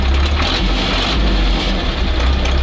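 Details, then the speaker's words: Old ZIL truck crane engine, idle set via a newly fitted extra throttle cable with in-cab idle/raised-rpm/shutoff lever: deep, steady low rumble at idle with no misses, knocks or hunting; idling smoothly, temperature and charging working. "Ставим на холостой ход. Запускаем мотор. Я уже запускал, всё проверил. Вот у нас холостой ход."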